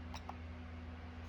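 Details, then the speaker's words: Digitrax-controlled model railroad turnout, switch 19, commanded closed: two quick light clicks over a steady low hum as the switch machine throws cleanly; normal. "close, and you can hear the switch machine throw."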